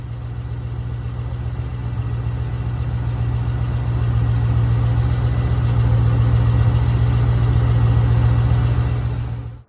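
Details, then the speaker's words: 22-year-old car with about 100,000 miles on its never-replaced serpentine belt: petrol engine idling with a low, steady squeak pulsing about four times a second, quieted by water spray, louder when driving; worn drive belt. "Okay, so as you will hear in the video I'm about to play, it sounds like there's like a little squeaking sound, very low pitch that comes from right around here in the engine."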